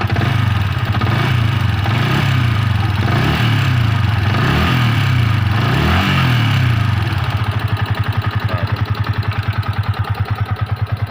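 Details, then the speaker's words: Yamaha Vixion motorcycle that suddenly died while riding and then would not start, engine previously opened: at idle a loose, uneven knocking about three per second under thumping exhaust, said to be piston noise. Piston noise. "nah ini ini suara kemlitiknya ini ini suara piston ini teman-teman"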